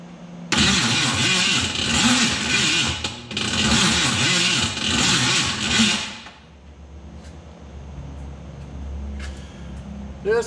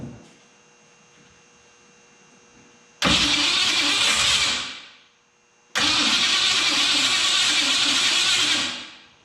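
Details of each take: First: 1968 Mercury Cougar, first start attempt after five years of sitting: slow, labored cranking at about one and a half turns per second, never catching; the starter is dragging, and the owner suspects a stick-shift starter was fitted instead of the automatic type. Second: Neglected 1968 Mercury Cougar first start in 5 years after a washer fell out when the starter was removed: two short cranking bursts catching into a rough run, each cut off after seconds, no deep rhythmic knock; rods sound fine.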